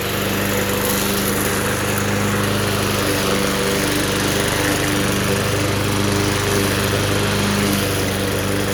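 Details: Vintage, believed late-1980s, Toro GTS 5hp 3-speed self-propelled mower (model 20622), apparently Suzuki engine, found in shed, with blade clutch: constant, even buzz with no misses, hunting or knocks; healthy steady run.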